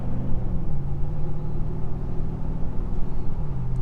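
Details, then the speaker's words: V8-swapped Chevrolet Colorado with new titanium exhaust, in-cab at medium acceleration: deep, even V8 rumble, mellow tone with no booming drone or rattle; normal exhaust tone. "so it's got a bit of a tone, but it doesn't drone. That was my biggest fear, is to make it drone and just rattle, or it sounds like a booming sound."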